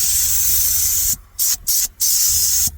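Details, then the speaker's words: Air horn system stripped and valve opened for testing: short bursts of thin, feeble air hiss; pressure through this valve is restricted, far stronger when disconnected, so only one horn works; weak air flow from restricted horn valve. "By the time the pressure gets to that the horn on that side, it's too weak."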